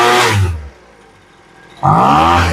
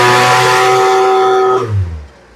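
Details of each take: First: Poulan Pro leaf blower after new fuel lines, revving in short bursts with a brief lag before pitch climbs; hesitation on acceleration after half-turn adjustment of the high-speed mixture screw (farthest from block), before low-end richening. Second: Poulan Pro leaf blower, new fuel lines fitted, during carburetor high/low screw adjustment: small two-stroke screams at a steady clean high pitch at full throttle with no stumble, falls away smoothly; normal full-throttle rev.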